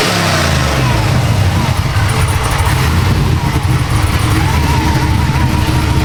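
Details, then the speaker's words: Supercharged LSA 6.0 V8 Silverado (about 700 hp), described as fully dialed in: deep heavy rumble holds strong and even as it revs, with no misses or knocks. Healthy running. "Now that's what I'm talking about. This truck is fully dialed in."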